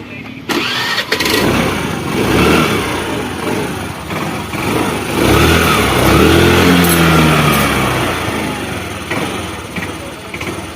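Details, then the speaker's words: Hero Pleasure scooter after repairing engine tappet noise, timing chain checked and okay: starter whirrs, engine catches and settles into a light, even idle with no tappet ticking; normal start and idle after repair. "क्या आपको रख सकते हैं हमारे scooty में बहुत ही अच्छी आवाज ए रही है"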